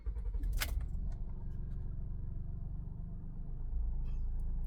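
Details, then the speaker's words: Honda Pilot 3.5 V6 with P3400 code and check emission system warning, barely drives; just after start-up it chugs badly with an uneven lumpy idle, owner assumes running on three cylinders; rough idle misfire. "there's what the dash looks like maybe you can maybe you can hear it how bad it's running chugging really bad get the gas oh yeah sounds sounds nasty"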